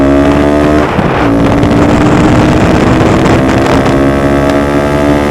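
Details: Honda Grom after a DHM S1 camshaft install and valve clearance adjustment: the small single revs up steadily with a clean, even tone and no knocks or stumbles. A healthy-sounding engine.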